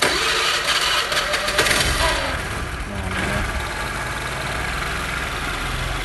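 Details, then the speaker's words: Honda Vario Techno 110 scooter that had been hard to start, after replacing the fuel tap: brief starter whirr, the engine catches and settles into a steady, even idle with no misses; fault was the fuel tap. "Ini motornya udah hidup, ya, motornya udah hidup karena udah kita pergantian kerannya."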